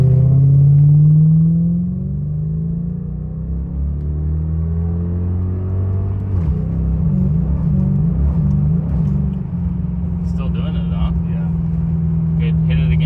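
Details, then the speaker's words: 1991 Lexus LS400 automatic (A340) after Transgo shift kit and new shift solenoids: engine note climbs, drops and climbs again as transmission shifts back and forth up and down between gears; hunting, one of the new problems after the install. "And in the third one that I'm going to show is going to be it shifting back and forth, up and down."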